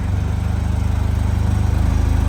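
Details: Chevy/Grumman LLV mail truck, Iron Duke engine; loping, uneven chuff at idle with a regular stumble every few beats, a misfire from two dead cylinders with low compression from leaking exhaust valves.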